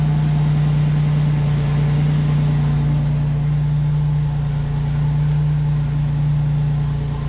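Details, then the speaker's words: 1987 Buick Grand National idling after warm-up enrichment was reduced; steady, even pulse, no misses or knocks, runs smooth but still slightly rich. "rich. Wow, this thing runs smooth."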